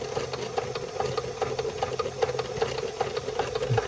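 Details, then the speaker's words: Märklin 16051 twin-cylinder toy steam engine, still running in, just coming up to steam with the pump recirculating: soft, even chuffing at about two and a half beats per second over a light hiss; normal slow "museum speed" running. "I call this museum speed, because if you go to the museums with the full-size engines, none of them are running. None of them are running fast."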